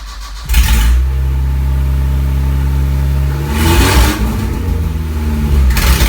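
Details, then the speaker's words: Isuzu Rodeo 4ZE1 engine after a top-end rebuild with new head, first start with no exhaust fitted: catches at once and settles into a loud, even low rumble, all four cylinders firing; smoke possibly from spilled oil. "holy sh it's running on all four"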